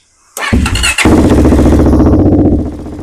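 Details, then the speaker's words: Warm DVX400 quad, no choke, 167.5 main jet and 25 idle jet: catches after a short crank into a fast, uneven, burbly idle; owner suspects the idle jet is too rich, considering the fuel screw. "So, I think the idle jet is too high."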